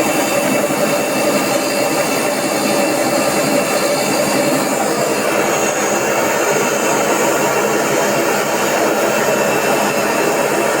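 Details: AEG Öko Lavamat 4100 washing machine at 1000 rpm spin: steady, loud jet-engine-like roar from worn drum bearings.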